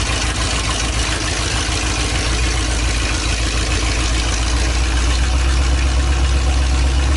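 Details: 1984 Ford Bronco, 351 Windsor 5.8L V8, first start after a month sitting, newly fitted Hedman long-tube headers with open exhaust, idling, not revved: deep, loud, steady rumble with even lope, no knocks or misses; healthy.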